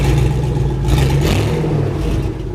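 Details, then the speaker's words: 1999 Chevy Silverado V8 running with open exhaust, muffler (old Cherry Bomb) removed; deep, loud rumble with a raspy edge on a light rev, no muffling, judged to sound pretty good. "It's probably going to be somewhat loud, but we're about to find out. JD, hop in there and pull it forward real quick. What do you think? That actually sounds pretty good."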